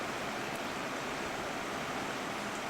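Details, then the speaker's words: Old oscillating fan with electronic controls and a very loose grille, first start of the season: steady, even rush of air with no ticking, rubbing or wobble; runs smoothly, though owner says the oscillator likely needs oil or grease. "it's got electronic controls whoo oh it runs hear the lovely noise the oscillator makes so that's probably gonna need some oil some grease it still works"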